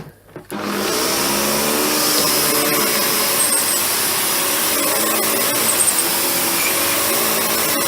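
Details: Panasonic MC-UG302 upright vacuum whose brushroll had seized, freed but still with a tight spot: harsh rasping whir over the motor roar with a strained drone from the dragging brushroll.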